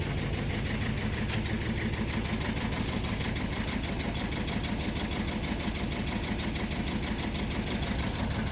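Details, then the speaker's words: 2001 Mercedes Sprinter W903 diesel van, cold start after standing since early 2019: rough diesel idle with a rhythmic chuff about three times a second over the clatter, a bit smoky; injectors visibly chuffing from leaking injector seals, described as comically bad. "Well, you can hear those injectors and chuffing apart. You can see the injectors chuffing. That's how bad they are."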